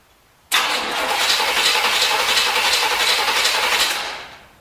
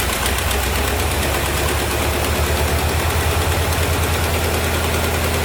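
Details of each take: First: 1973 Corvette C3 bought on eBay: the starter whirs steadily at about four turns a second, with no catch or sputter and a hissing noise. Gas is in the carb and the vacuum ports are closed. Owner suspects wrong firing order, zero compression or water in the fuel. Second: 1973 Chevrolet Corvette C3 revival, run after a shot of gas down the carburetor: steady, even low rumble at settled idle, no misfire or knock; a little smoky but not worrying; normal idle.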